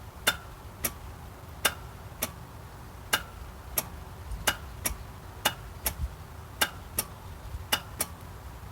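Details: 1997 Geo Metro no-start: sharp single clicks about every half second with no cranking; starter already replaced with new, clutch switch bypassed, ignition-to-starter wire clean, cause not found.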